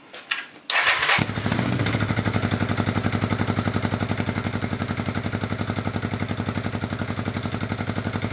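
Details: Honda Bros RC31 V-twin just fitted with a Fuel F1R stainless road exhaust and short 250mm can: cranks, catches and settles into a steady, even beat with deep pulses and light blips, not revved hard; healthy, about 90 dBA.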